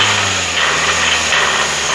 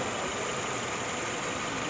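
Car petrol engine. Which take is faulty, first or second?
first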